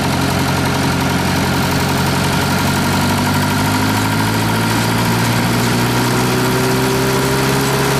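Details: Reinco TM730 skid-mount straw blower with a 4-cylinder gas engine, fully serviced, oil changed and tuned up: steady, even, smooth unchanging drone with no knocks or misses; normal running.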